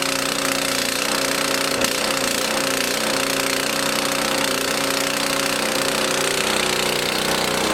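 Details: Lawn mower engine in fuel additive test, sat two months on stored fuel, started on choke after eight or nine pulls: steady, even buzzing run with no stumbling or surging, settled without choke; sounds healthy.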